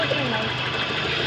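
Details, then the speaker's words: 1993 Toyota Corolla big body after replacing a knocking transmission with a newly installed one: steady, even idle with a low hum and no knocking or clunking from the gearbox; normal idle, transmission quiet. "Wala nang ingay, bossing. Yung. Ito yung pinalit natin yung transmission mga boss."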